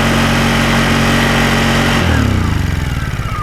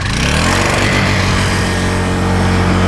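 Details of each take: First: Newer Honda portable generator tilted on a prop to exaggerate low oil: steady engine drone starts sputtering, then the pitch falls away to a stop as the oil alert shuts the engine off to protect it. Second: Honda 1000-watt portable generator with built-in flood light, already warmed, started off choke; a fast, steady, even hum with no surging once it settles. Normal running at a fast rpm, economy throttle off.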